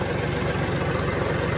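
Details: Kubota diesel tractor after the no-crank starter/switch wiring fault was fixed: an even, steady idle chug with regular low pulses and no misses or knocks. Normal idle.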